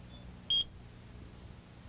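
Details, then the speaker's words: AT&T Security System 8000 alarm central controller: one short high-pitched reminder beep on opening the door while armed, the entry-delay warning that you have 40 seconds to disarm before the alarm sounds. "now when you come home and open the door and the system is armed you'll hear a series of reminder beeps like this now that's the central controller reminding you that you have 40 seconds to disarm the system"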